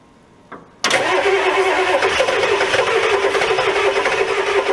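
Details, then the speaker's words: Old diesel revived, injector lines tightened and cross-threaded cylinder one injector extension repaired: catches and settles into rough loud clatter with hissy breathy rush; heavy crankcase blow-by, cause not pinned down, but it runs. "ah there's no way there's so much blow-by"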